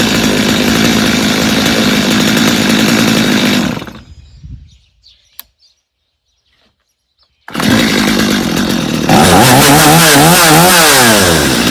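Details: Stihl chainsaw, reassembled for a customer with a Bosch spark plug fitted, started on full choke: steady high buzz stops, restarts cleanly, revs up and down smoothly with no stumble; runs well, idle slightly high, little carb adjustment needed.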